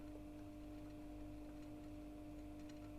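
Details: Oase Biomaster Thermo 850 external aquarium filter set between two cabinets, microphone held close: a quiet, constant mid-pitch hum with no rattle or gurgle. Normal running; slight resonance blamed on the gap between cabinets.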